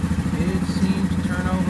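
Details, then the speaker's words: 2015 Yamaha Grizzly 550 ATV, 129 miles, 20.7 hours, long sitting, formerly dying in park; first start on a fresh plug replacing a dirty one: turns over very easily, no throttle, steady even idle without choking out. "very easily. It does not seem to be choking out. I have not given it any gas. It is idling."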